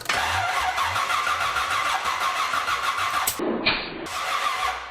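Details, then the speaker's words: 1975 Chevrolet Corvette (Stingray) project car with open headers, first start: uneven, labored cranking with ragged sputters that never catch cleanly; timing found way too far advanced, causing hard starting. "Well, that says it's way too far advanced."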